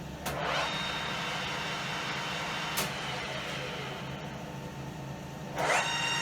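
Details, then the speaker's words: 1980s Colchester Master 2500 lathe first run after restoration: harsh uneven grinding rasp with loose rattling from the headstock; 26-tooth clutch shaft gear running without its bearing, worn bore. "okay something is clearly wrong"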